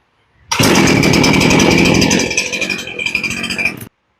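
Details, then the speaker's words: Poulan Pro chainsaw that had sat unused; after the low-side carb screw was turned up slightly for more fuel at idle, it fires on the pull and settles into a steady, crisp two-stroke idle. It went from not starting to starting well, with idle unchanged. "now as you can see we went from not starting at all to starting pretty good and it didn't change the idle any"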